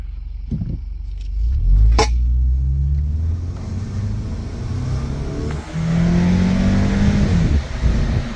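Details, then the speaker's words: Subaru after the repair that fixed its low-idle stalling and upper-rpm misfire, on a road test: it pulls strongly with clean rev drops at each shift and no stumble or hesitation; healthy acceleration with steady rpm. "beautiful shift points maximum power that's what we're looking for"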